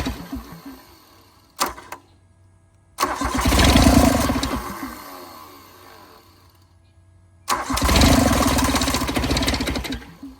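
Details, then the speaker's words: 1986 John Deere 330 diesel garden tractor, cold, glow plugs out, two injectors bled and one unbled: two long cranking bursts, firing unevenly and dying back each time; hard start, it wants heat. "bled these two since I can't get this one undone. And I've got fuel, so let's see if it starts."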